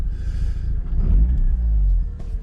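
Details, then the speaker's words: 2004 Mazda RX8 revived after years sitting, with new coils, plugs, wires and starter and fresh fluids, cold start: a smooth, steady rotary idle at about 830–840 rpm, coolant at 91, no knocks or misfires. "so coolant sitting at 91. idle at about 8 30 8 140 RPM"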